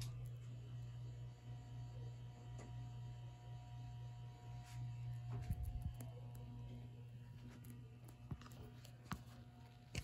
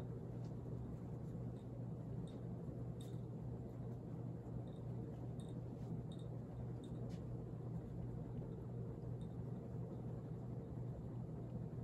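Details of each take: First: Late-1970s/early-1980s ERS American Art Series ceiling fan turned to a higher speed: a quiet steady hum with a faint electrical buzz; the fan motor sometimes complains at in-between speed settings, cause unclear. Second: Rare late-1970s/early-80s ERS American Art Series ceiling fan at full power, its fastest speed: only a very faint steady low hum with soft room rumble, no buzz or wobble; it runs silent and healthy.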